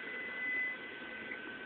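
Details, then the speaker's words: Frigidaire double oven model PLEB27T9FCC on convection bake: steady airy whoosh with a faint high tone and no rubbing or ticking from the rear convection fan; normal convection fan operation. "I'm going to hit stop and let me just do conve back bake to show you the fan working in the"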